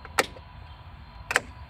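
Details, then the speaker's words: Melex 625e golf cart with EZGO ES1-4002 series motor, Alltrax 48400 controller and 48V Chevy Volt battery modules at about 94–95% charge: two crisp clicks about a second apart as the main contactor drops out at key off; normal. "so that's how it switches uh turning it off at the key turns off power to everything so just like a normal golf cart"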